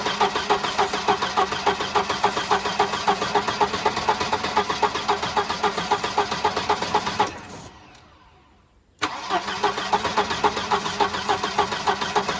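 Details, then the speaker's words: Wrecked, T-boned Volvo 240 with previously stuck B230 engine, now with a new coil after 12 volts burned the old one: fires and runs fast and rattly for several seconds, dies abruptly, then catches again; stalls after brief running, judged a fuel issue. "It's definitely a fuel issue."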